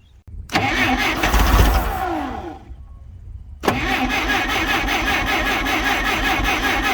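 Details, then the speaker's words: Clark C500Y45 forklift, Waukesha D176G propane engine, weak yellow spark, on starting fluid: fires rough and loud under two seconds then stops, cranking resumes with steady chugging; won't keep running, propane line leak found. "let's see what it'll do with a little starting fluid boy it wanted to so bad"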